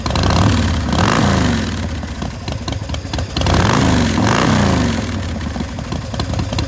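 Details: 2006 Big Dog Pitbull Pro-Street custom chopper motorcycle with 3,993 miles. A loud, lumpy V-twin idle with two clean blips that rise and fall smoothly; a healthy big twin idling and revving.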